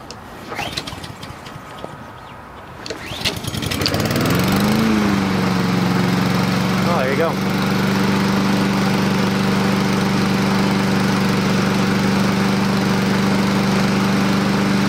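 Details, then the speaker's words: Husqvarna push mower with Honda engine, sat a long time: several pulls, then it coughs and catches after carb cleaner sprayed into the carburetor, settling into an even run; owner thinks not a dirty carb, just long storage. "i don't think that carburetor was dirty i think it just has been sitting a long time and a little bit of carb cleaner was able to help it kick into gear here"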